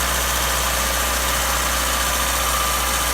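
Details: 1989 Acura Integra LS D16 being built for turbo, first start after a new timing belt, water pump and radiator; it settles into a steady, even idle with a smooth rumble and no knocks or misfires; normal idle.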